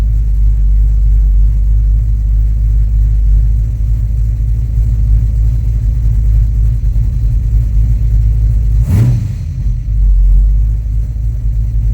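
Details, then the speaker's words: Son's squarebody 350 V8 with a 670 vacuum-secondary Holley 4150, after fixing the accelerator pump lean stumble and vacuum-gauge tuning, air cleaner off: deep steady rumble rising smoothly on throttle and settling without stumbling. "Not bad. Cool. Alright, so we got our carburetor tuned to where I think it's pretty good, using our vacuum gauge and doing a couple adjustments."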